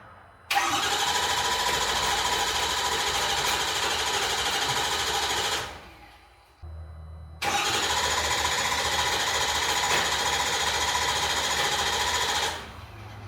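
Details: 6.0 or 6.4 Powerstroke diesel truck, hastily reassembled: two long cranking bursts of about five seconds each, steady starter rhythm near 3.5 per second, engine never catches; crank, no start.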